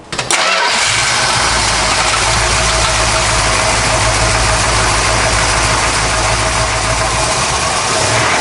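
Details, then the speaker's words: 1970 Dodge Challenger R/T V-code 440 V8, restored, no leaks seen, started after coming off the lift; catches at once, deep even idle with no misses, ticks or knocks, normal start and idle. "That way you get to hear that big 440 in there, listen to it hum a little bit"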